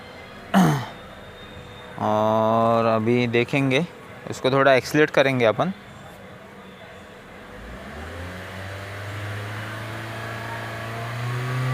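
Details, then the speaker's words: Toyota Altis petrol engine with a cylinder 1 misfire, flashing check light and no pickup. After a new coil (plugs changed two days earlier), it starts and revs smoothly with an even hum; the misfire is cleared. "तो उसे पर जो check light है यह flashing करता था तो अपना यह प्रॉब्लम क्लियर हो गया"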